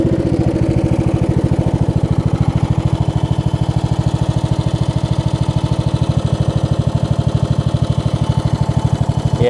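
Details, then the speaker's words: Craftsman LT1000 lawn tractor with a replacement deck, blades engaged: steady single-cylinder thump with a rough, uneven drone over it, something off in the deck; belt was smoking and slightly burnt, owner suspects the left deck spindle is going bad. "blades engaged pretty well sounds like it's doing something weird i might have to go look at it real quick"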